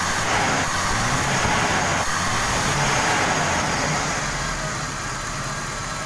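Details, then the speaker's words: 1995 Toyota Kijang 5K: lumpy, unsteady idle with an uneven beat near four per second, unchanged after new plugs, carburettor and valve adjustment; vacuum leak at the distributor advance line to intake acting like a dead plug. "Setelah dianalisa ternyata ada penyakitnya di sini ya teman-teman ya. Ini bagian angin yang menuju ke intake bagian nomor 1 itu seperti busi mati ya."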